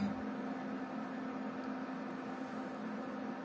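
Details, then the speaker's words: Cooling fan of the induction plate on a 37-litre Khmelnitsa automatic home brewery, run without water at 2.3 kW, gives a steady, even whir with a low hum underneath, not very loud; normal running noise. "Шумит. Слышите, как шумит пропеллер? Не сказать, что сильно громко, но ну, такой звук вполне реальный."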